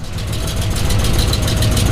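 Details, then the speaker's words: 1967 Buick Special, 350 small-block Chevy with newly installed long-tube headers: a lumpy V8 idle with a sharp, raspy ticking puff on each exhaust pulse; exhaust leak at the header collector gasket. "it's leaking exhaust from the this wly area think that's all the paint turning off oh yeah there's that leak right there collector gaset leak not super worried"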